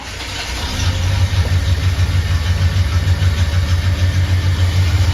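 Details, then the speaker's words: Chevrolet Silverado farm truck V8 with catalytic converter just removed, Sniper fuel injection: deep steady idle with louder, throatier exhaust burble and no exhaust-leak ticking; normal idle. "sounds pretty good I don't hear anything like crazy exhaust leaks that's huge shuffling's a lot throatier I think that cat was really choking it up in here"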